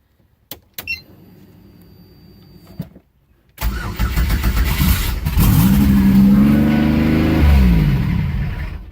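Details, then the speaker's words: Pontiac Fiero with a built 3400 turbo engine and a newly fitted 3500 intake, first start after a battery disconnect to reset the TPS: it cranks and fires, then revs climb on their own until shut off; runaway high idle from far too much throttle. "way too much throttle ran away gotta turn it down round two"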